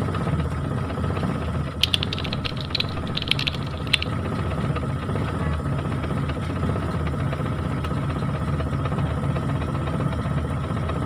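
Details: Mitsubishi T120SS fuel-injected engine with hard starting, stuttering and high fuel consumption: steady low idle with uneven lumpy pulse and a few light ticks early; rough running, cause not evident.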